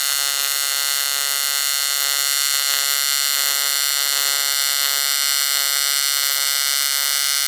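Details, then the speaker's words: ARCCAPTAIN 200P AC/DC TIG welder on AC at 140 Hz, balance 20%, 100 amps, set like the welder's Miller: steady, even high-pitched buzz with no crackle or sputter; stable normal AC TIG arc, little haze, shiny bead. "All right, that's pretty much exactly where I like it and kind of how I would have it on my miller. Nothing wrong with that at all."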